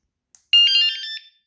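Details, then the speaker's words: Pebl bike with two hidden 120 dB vibration alarms armed by remote: a brief tick then one bright, warbling chirp under a second long; both alarms confirm armed. "so now they're armed. They're both armed."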